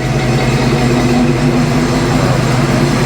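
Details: Car with new exhaust and finished wiring, started and warmed up before first test drive while checking power brake pedal: deep, steady, even burble at idle, no misses or knocks; normal idle.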